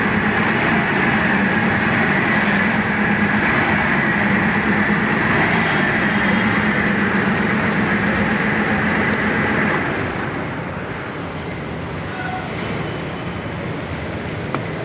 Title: The forklift was misfiring, so I replaced all four plugs.